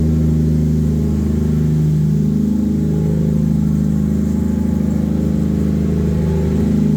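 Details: Normal idle and revving: an 800hp 2JZ turbo Lexus IS300, wrecked in a front-end collision and sitting unused, started on a replacement battery with no coolant and was run only briefly. Smooth, even idle climbs cleanly on two blips and settles without misses or knocks; healthy.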